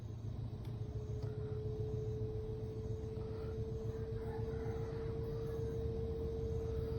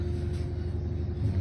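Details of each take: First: Samsung washing machine about two years old, running empty on the spin-dry cycle: heavy low rumble and rapid thumping over a steady motor hum; the noise occurs only on spin-dry, and washing is normal. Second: Samsung front-loader washing machine, about two years old, after repair of loud noise and cut-outs during spin: steady low rumble with faint even hum, no knocking or banging; normal spin cycle.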